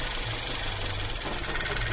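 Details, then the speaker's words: 2008 VW Passat B6 1.8 TSI misfiring on cylinders 1, 3, 4 after codes cleared; fuel pressure 40 bar OK; uneven lumpy idle with irregular knocking pulse; caused by injector seal air leak and clogged injectors. "помилки всі повидаляв мотор так от трусить"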